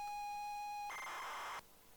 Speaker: now it sounds like the sound of of a stupid game with its turbo loader